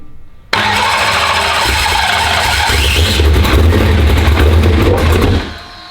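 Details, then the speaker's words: Turbocharged race car fires and runs rough about five seconds, then falls off and dies; fuel pressure only reaches about 60 psi and drops right off, starving the engine and stalling it. It needs some throttle; set screw mentioned. "It's only got like, 60 pounds of fuel pressure and then it just like falls right off."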